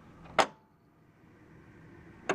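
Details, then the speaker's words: 1993 Bally Williams Twilight Zone pinball (WPC) in test mode, after replacing a bad U-shaped flipper optic that caused a weak flipper: crisp clacks then quiet steady hold with no oscillating buzz; normal flipper hold. "I hold the flipper in I don't get that oscillating that noise. Okay, cuz you don't want that noise."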